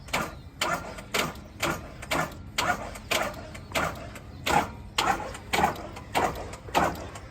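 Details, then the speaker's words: Chip truck at job site, started fine that morning, key held down: engine turns over with steady whirring rhythm about twice a second, never firing; crank no-start, starter motor suspected but unconfirmed; towed to shop. "The truck started just fine this morning. And when we got here, this is what it sounds like. You're just holding the key down."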